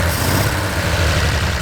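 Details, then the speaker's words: 1930s Wolseley Hornet six-cylinder, first run during restoration: low lumpy idle with uneven beat and occasional stumbles, running rough, not firing on all six; misfire not from plugs, fuel intake suspected. "Oh, it's running a bit rough. Yeah. Is it on all cylinders? No. No, That's not on all cylinders."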